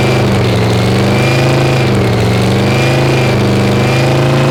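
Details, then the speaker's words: Screw-blown Hemi supercharged V8 fire-up in parking lot: loud, lumpy idle with an uneven, hunting beat; ignition timing is off and needs adjusting. "i got to get the timing adjusted"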